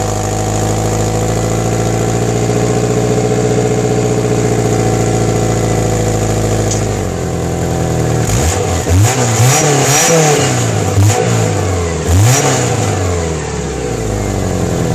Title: Outback exhaust leak